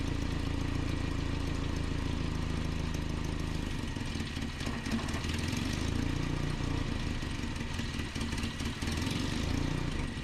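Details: 1988 Nissan D21 truck, 2.4L Z24 engine: low idle that swells and sags unevenly every few seconds, never settling; surging idle from a vacuum line leak, before repair.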